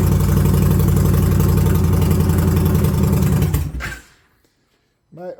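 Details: 2021 Indian Challenger V-twin after replacing the torque limiting gear to fix slow, hanging starts (13 mm hole also drilled in the cat): it catches and runs with a steady, even lope for several seconds before shutoff. Normal running.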